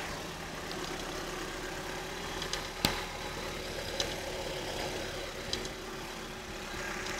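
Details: Vauxhall Astra GTE C20LET at idle: steady idle with a few sharp, uneven clicks about once a second from the intake area; owner suspects the inlet, maybe ICV clicking, alongside knocking on revs from the cone filter and trouble revving.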